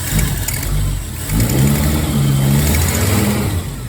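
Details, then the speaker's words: 1970s Ford Maverick after valve cover reinstalled and leaking exhaust part replaced: smooth, even idle swelling cleanly with light revs, much quieter at the engine, exhaust now exiting at the back. Normal idle and revving. "Oh, wow. That is a lot quieter. Now, the exhaust sound's coming out the back, not out here. Wow, it's so much quieter up here."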